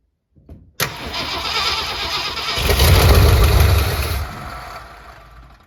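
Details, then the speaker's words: 1967 Ford Galaxie 500 sitting since 2008, fed from a jerry can through the fuel pump with extra gas down the carburetor: cranks, catches, runs a few seconds with a brief rev, then dies; a lost battery connection is blamed. "had run but I lost connection so that's great"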